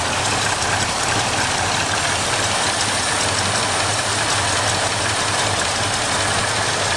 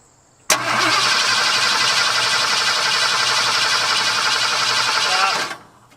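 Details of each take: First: 1978 flood-damaged truck V8 after fuel line repair: steady, even idle with no knocks, misses or hunting, runs smoothly; plastic fuel filter leaks. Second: 1978 Ford F-150, flood-damaged, cranked with the fuel line off to check the mechanical fuel pump; V8 cranks steadily about five seconds with no firing, only occasional fuel gurgle, probably out of gas.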